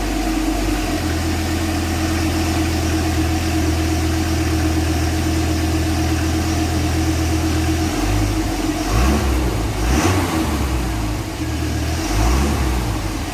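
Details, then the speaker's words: Dodge Viper V10 on stock exhaust, side sills removed: a deep steady idle, then sharp throttle blips rising and falling cleanly; running normally, though the owner dislikes the sound, likening it to a vacuum with an exhaust leak. "As you can hear, sounds just absolutely horrible. Sounds like a Hoover vacuum with an exhaust tube leak or something."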